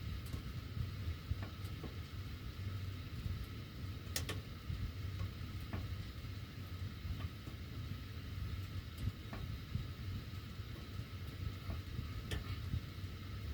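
Scattered sharp ticks at irregular intervals over a low steady air rumble; ducts ticking with the heat on, cause unclear.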